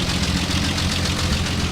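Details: 1948 Ford F1 truck, described as running like a top: steady, even low rumble with a smooth regular beat and no misses or knocks; normal idle.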